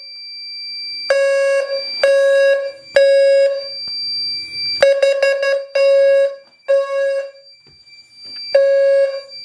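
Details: Fire-Lite MS-2 panel on Gentex sync driving a new low-frequency alarm without a Gentex GTSM sync control module; low square-tone bursts near 520 Hz in a jumbled rhythm mixing temporal-3 and temporal-4 patterns.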